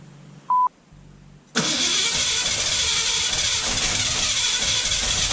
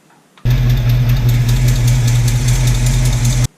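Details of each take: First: 1966 Mustang coupe with factory V8 and 4-speed, after swapping the rubber pump-to-carburetor fuel line for a hard line with an Edelbrock 8131 kit: after a chime the starter spins with a steady, hissy whir but the engine never catches. Cranks, no start. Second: 1966 Mustang coupe, factory V8, 4-speed, just after fitting a hard fuel line with an Edelbrock 8131 kit: a deep, even V8 rumble at a steady idle with no misses or knocks, and no fuel leaks after 10 minutes.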